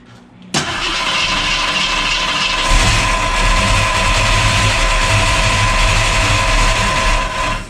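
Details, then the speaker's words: 1973 AMC Javelin after points cleaning: engine catches after a brief crank, then a rough, metallic scraping rumble runs under the idle. The torque converter is rubbing on a bent transmission inspection plate. "That's a no noise. I'm hearing something there. That sounds like a torque converter or whatever."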